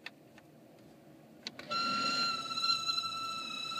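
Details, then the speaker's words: Car blower fan on low speed: thin, steady high-pitched whistle with several level tones over soft airflow, goes away at full blower and returns when turned down; cause unknown. "it only does this usually if I have it on low speed or"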